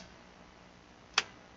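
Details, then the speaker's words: Emphaser EA2500D car audio amplifier after repair, bench-tested with remote connected: quiet hiss then one crisp click about a second in as it powers on; normal power-on relay click. "Voilà, il s'allume. Voilà, on entendu le claque."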